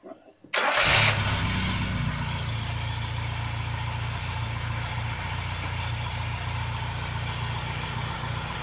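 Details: 1971 Toyota Celica TA22 project car, freshly fitted carburetor and new fuel pump, first drive in about a decade: starter turns briefly, engine catches at once and settles to a steady, even idle with no misses or knocks.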